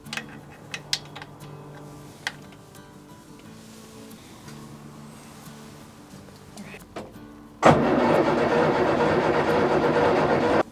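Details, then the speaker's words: 1970 Morris Minor Traveller that broke down on its last drive: steady, even cranking for about three seconds with no firing; fuel pump is heard working, and the fault turns out to need an SU carburettor rebuild and adjustment. "I thought I'd test if you leave a problem long enough whether it' just go away but no she still won't start"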